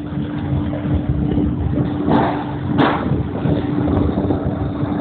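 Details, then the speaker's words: Liebert glycol loop pump with air in the system, amps jumping between 4.5 and 5.5: steady motor hum under a rough gravelly rumble with surging bursts of cavitation; fix is bleeding air at the highest point. "but just bleeding out that air to stabilize my pump it was jumping around between 4.5 and 5.5 amps and you can actually hear the pumps cavitating"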